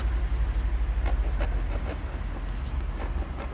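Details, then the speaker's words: 214 idling with a suspected failing water pump, before replacement; a rough, gritty grind rides under the run with uneven light knocks. A dry, failing water pump bearing. "that sounds rather grindy i'm sure you'll agree it's grinding like a pretty lady on tinder"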